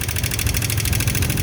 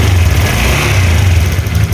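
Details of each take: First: Old Honda Vario 125 LED scooter, very rough rapid metallic clattering from the cylinder head over low idle; head teardown found the inlet rocker arm roller seized, not turning, leaving excessive valve clearance. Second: Old Honda Vario 125 LED scooter after repair: steady low engine note with a brief smooth rev and settle, no knocking or rattle; runs smooth, no radiator bubbles indicating head gasket leak.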